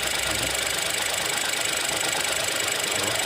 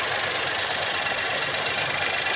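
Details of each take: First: 2021 Geely Coolray petrol engine idling with shaking and irregular stumbling; it tends to die when revs drop; scanner shows random multiple-cylinder misfire, cylinder 2 current; traced to faulty injector and spark plug. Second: 2021 Geely Coolray after replacing a faulty injector and iced-up spark plug that caused shaking and a check engine light: petrol engine idles evenly with fast, light ticking, no misfire stumble. Normal idle.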